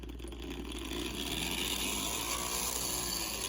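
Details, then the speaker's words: Model Power E8 model train locomotive on track before repair; quiet steady high-pitched buzz with fine rattle; motor rattle noise, suspected from the loose moving flywheel, to be fixed with a washer between bearings and flywheel. "I think that the rattling of the flywheel doing this is the reason why it makes a lot of noise"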